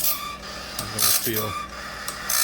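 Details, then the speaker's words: Sawmill bandsaw blade on Timberking Talon sharpener, second-pass light sharpening taking off tooth front faces and cleaning gullets: light hissy grinding pulsing with each tooth; normal light contact. "I just do a light sharpening on it. And as you can see, all I'm doing is I'm taking that front face of that tooth off."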